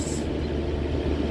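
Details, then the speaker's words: Vintage Vernco (Emerson Electric) 16-inch box fan model K-2, late 60s/early 70s, running on high: steady, even rush of air over a low hum, no rattle or ticking; running normally, just under 2 amps, 158 watts. "That's pretty powerful. This is just a 16-inch. It's pretty much as powerful as a 20-inch."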